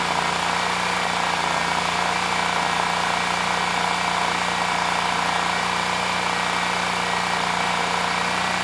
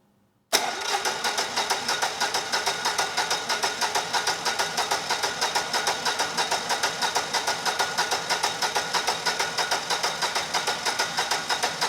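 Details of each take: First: Generac XG10000E after carburetor cleaning, choke off, airbox not yet fully assembled: smooth even beat with no misses or surging, just a steady rumble; running normally. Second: Generac XG10000E generator, about 10 years old with only 12 minutes of running, fuel left in the carburetor; choke on, tank full: steady cranking about three strokes a second for thirteen seconds, never catching. No fuel delivery; needle and seat suspected stuck.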